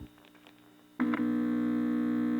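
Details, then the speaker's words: Kerenola Trav-Ler AM radio at 81 volts, tuned off-station while swapping electrolytic filter capacitors: steady low mains hum with clear overtones jumps loudly after a click; weak or misarranged filter capacitors suspected. "let me get it off the channel so we can hear the hum and i'm going to switch these two and see if that doesn't mean i've got to be careful i don't shorten it out"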